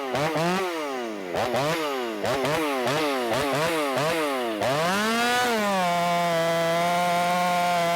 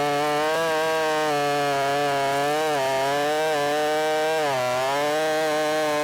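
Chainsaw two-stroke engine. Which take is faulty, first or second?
second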